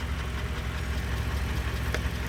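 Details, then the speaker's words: 2020 Toyota Camry SE, about 30K miles after six months, engine idling: light fast ticking over steady idle is the normal direct-injection high-pressure fuel pump, nothing to be alarmed of. "so the engine runs pretty good that sound that that extra sound that you guys hear the ticking that's there's nothing to be alarmed of it's just the uh the direct injected fuel pump and everything right here"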